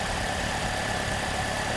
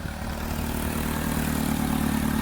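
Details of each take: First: 2009 Pontiac G6 after exhaust manifold replacement fixing an exhaust leak: petrol engine idling smoothly and evenly, with no ticking or puffing from the exhaust. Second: 2009 Pontiac G6 with prior timing chain issue, before repair: loud, raspy idle with rough puffing from exhaust leak; two-piece exhaust manifold cracked from collector to collector, manifold replaced.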